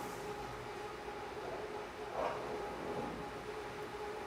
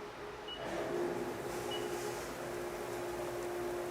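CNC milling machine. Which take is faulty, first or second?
first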